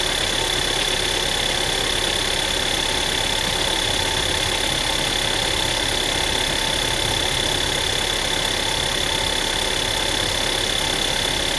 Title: Tiguan MY2009 rattling sound from engine